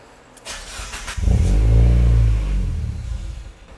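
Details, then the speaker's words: Mazda Miata after sitting eight months, testing to rule out the ECU: engine catches, flares briefly, then sags and dies within about two seconds; concluded to be the mass airflow sensor; stalling at cold start. "so it's a mass airflow sensor"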